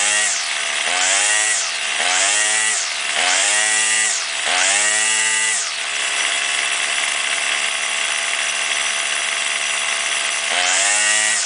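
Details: Warmed-up two-stroke weed trimmer, string out to cut line for load, blipped four times then held at full revs with slight wavering while the carburetor mixture is set between lean and rich bog.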